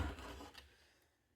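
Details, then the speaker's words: 1960 GE P780 portable radio, shaken before the back is removed: a quick dry rattle of a small loose object tumbling inside the case. "shaking and rattling. That's uh that's not good."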